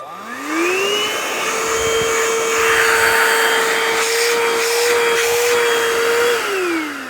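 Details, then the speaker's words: Donated vacuum cleaner whose filter was caked so thick no air passed, tested before cleaning: motor spins up to steady even whine with strong airflow, then winds down cleanly; normal suction, needs only filter cleaning. "Used to have pretty good suction there. So, pretty well all we need to do is clean that."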